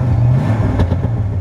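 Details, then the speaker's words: 1972 Oldsmobile Cutlass 442: deep, even V8 rumble holding steady with no knocks, misses or rattles; engine runs very smooth, tachometer working; normal engine rev. "so I've got a great sounding engine runs very smooth oh the tachometer works"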